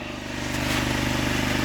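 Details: Engine after an overhaul with new valves to cure valve knock, some smoke still noted. A steady, even putter at constant idle with no ticking or knocking: normal idle.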